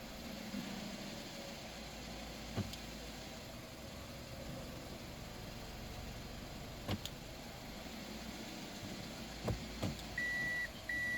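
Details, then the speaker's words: Toyota Isis ANM15, 1AZ-FSE engine, automatic 4WD, 104 thousand mileage, tested before dismantling: quiet, even idle, steady low hum, no misses, knocks, hunting, blow-by or smoke. Normal idle. "Работает ровно, газы не идут. И не дымит."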